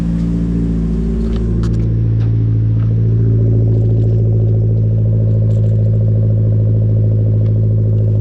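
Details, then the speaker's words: Merkur XR4Ti cold start after starter and factory engine mount replacement, belt off, no coolant: steady, slightly fast cold idle, smooth even hum, no misses or knocking; 60 psi oil pressure at idle, running healthy. "good oil pressure 60 psi right now at aisle it's cold"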